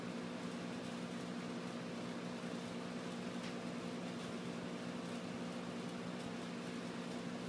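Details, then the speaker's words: Old refrigerator compressor converted into a vacuum pump, pulling vacuum on a gas measuring cylinder: quiet, steady, even hum with no knocking or rattle. Normal running. "Yeah, you can hear it running. You'll start seeing the pressure drop in the cylinder."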